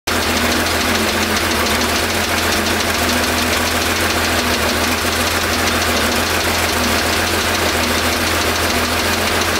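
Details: 1975 Porsche 911 3.0 air-cooled flat-six at idle after a cold start, oil level good, oil pressure 30 psi: quick steady tapping starting after about 30 seconds, steady with rpm, persisting when warm, traced to cylinder 5.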